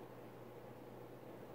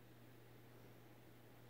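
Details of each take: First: Emerson 1895 Series 52" ceiling fan CF4352PB04, KB-55 stack motor, mid-late 80s, on high speed: quiet steady low hum under air rush, more motor hum than expected for a stack motor; motor hum. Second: Emerson 1895 Series 52" ceiling fan CF4352PB04, KB-55 stack motor, mid-late 80s, low speed in reverse: faint even hum, low steady drone, no ticks or rubbing; normal operation.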